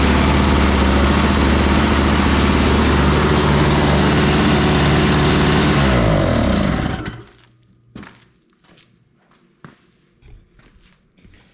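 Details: Toro Powerlite single-stage snowblower, 98cc two-stroke, model 381182, started without starting fluid on a 51°F day: runs steady and even at a fast regular beat for several seconds, then shuts off cleanly; sounds healthy.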